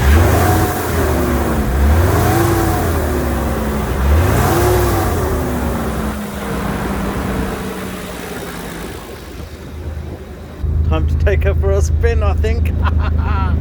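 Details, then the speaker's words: Nissan 300ZX Z32 twin-turbo manual, unused 17+ years, after new correct-spec spark plugs cured cylinder four misfire; blipped after warm-up: clean rise and fall, no stumble or miss, settling to smooth idle; healthy. "as you heard the engine is running beautifully now but i'll say beautifully it needs a little bit of tweaking"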